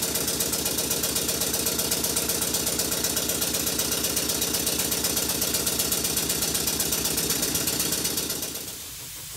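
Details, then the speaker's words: Model engine with red flywheel, reassembled, left running: crisp even chuffing about four beats a second, steady rhythm and no clatter, until it winds down; normal running. "with everything reassembled it's time to give the engine a run and it's at this point that I'm going to go and do something else and I'll leave the engine running to the end of the video"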